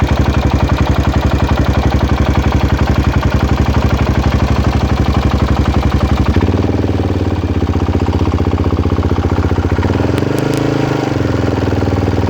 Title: Weird engine noise??